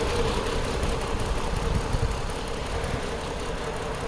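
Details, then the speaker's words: 2010 Chrysler Sebring 2.7L convertible after flexplate and EGR repair: rough, uneven idle with lumpy stumbling beat; scan tool shows cylinder 2 dead, no injector pulse, traced to a broken coil connector, not the crank sensor. "see that cylinder two is dead I don't know if you guys can see that yeah there you go cylinder two nothing on the milliseconds so that's our misfiring cylinder"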